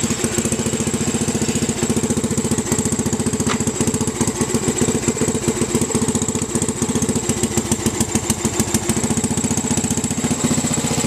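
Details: 1967–68 Sears Suburban single-cylinder engine on a makeshift vaporizer carb fed through a ball valve, one throttle setting, no gas tank: fast uneven chuffing that stumbles now and then; mixture not right, loses power going uphill.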